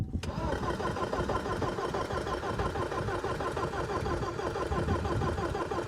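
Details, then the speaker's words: 1985 Porsche 944 sitting unused since 1998, first start attempt after fuel pump check: steady starter cranking about three beats a second, engine turning evenly but never catching; suspected no spark, later found to have spark; cranks, no start. "I don't think we have spark. So unsuccessful."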